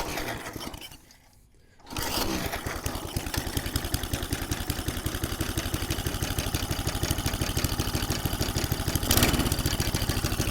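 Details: McLane 20-inch reel mower revived after about 20 years stored, started for a cutting test in long, thick doveweed grass: a short pause, then the small single catches and settles into an even, steady beat with no misses.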